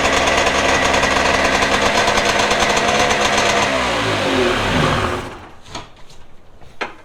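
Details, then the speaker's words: Two-stroke premix engine on jon boat, carbs rebuilt, sat three years, cold day around 38°F, after flooding and running away: fast, raspy idle that winds down and stops; idle too high, low-speed setting possibly too high, throttle stop to be backed off. "got a adjustment over here to see if maybe I can back off a little bit on that throttle make sure it's not pulling it but it's definitely the the low might be a little bit High"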